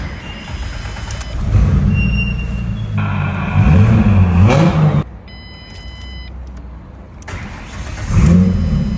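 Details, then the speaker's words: 2006 Ford Mustang that had no crank, no start and no communication, after both relays and fuses were replaced; the engine turns over, catches cleanly and settles into an even idle. Now starts normally. "तो माशा्लाह हो गई है start clear हो गई है"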